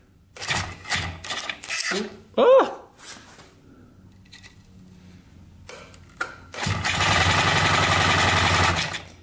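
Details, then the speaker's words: 1971 Yamaha CS200 two-stroke twin, sat over 17 years, starter pressed while holding down a black part so the brush contacts: steady, fast starter whirr; cranks over normally once contact is made. "then it cranks over just fine. It's very strange."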